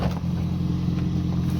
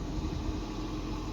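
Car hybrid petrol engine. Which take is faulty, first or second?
first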